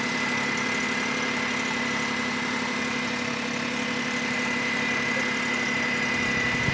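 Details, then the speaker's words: Smart car convertible bought as a non-runner at an insurance auto auction, fluids checked fine, after running a few minutes: quiet, steady idle with even hum and faint high whine, no knocks or stumbles; it purrs, normal idle. "I don't know it's been running for a few minutes it purrs"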